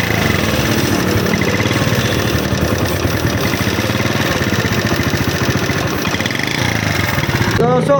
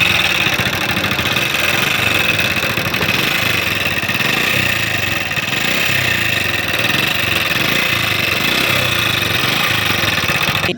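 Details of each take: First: Honda CD70 single-cylinder motorcycle engine after repair (oil not reaching head fixed, head refitted, tappets adjusted): idles with a steady, even beat, no tapping or clatter from the top end; normal healthy idle. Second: Honda CD70 motorcycle, engine running hot, oil level fine and kick compression good; with tappet cover off, no oil reaches the top end; loud sharp tappet clatter at idle; top-end valvetrain noise from oil starvation.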